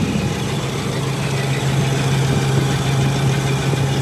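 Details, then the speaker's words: 25-year-old Trane rooftop package unit not cooling during a heat wave: steady low hum under a rough, airy roar from the blower, moving air but sounding strained; neither refrigerant circuit feels cold; abnormal running noise, cause not yet clear. "It's moving air. Sounds like crap."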